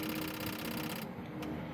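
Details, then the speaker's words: BMW 850 V12 checked before its MOT: hazard flasher ticks much faster than normal when the pulled-out hazard switch connector is wiggled, then eases off. Bad, corroded contacts on the switch pins (green corrosion seen); pins to be cleaned. "So, we would have had bad contact around on this pin. I don't know if we can wiggle this around a little bit. Oh, there we go. You can hear him going crazy."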